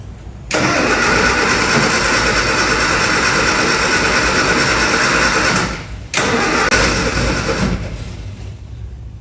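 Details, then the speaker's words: Classic Mini being cranked with the electrics on and about half a tank of fuel: the starter spins steadily, pauses and cranks again but never catches. Fuel is smelled and the pump is heard, but there seems to be no spark, so it will not start. "Doesn't sound like it's sparking, but there is fuel there. I can smell it. I can smell it."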